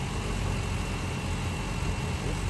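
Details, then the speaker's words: 2011 BMW 335i xDrive M Sport, N55 engine, 6-speed, bought as a knocking Copart car, on first start after delivery: lumpy, uneven idle with stumbling beats as it misfires; the engine likely needs rebuilding or replacing. "It's weird. It sounds like complete shit."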